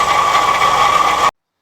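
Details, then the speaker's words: MGB GT, engine running after fitting a shorter 813 belt to test whether the rattle comes from the alternator or water pump: steady clattering rattle with a thin ringing tone returns; owner suspects the water pump. "Okay, and there we have our engine noise back, so I think the issue is the water"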